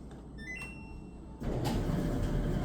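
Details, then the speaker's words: Samsung DV431AEP/XAA dryer after replacing bad motor: quiet room then sudden steady rushing drone as motor kicks right on and runs evenly; normal running. "Oh, hear that? Kicked right on. Music to my ears."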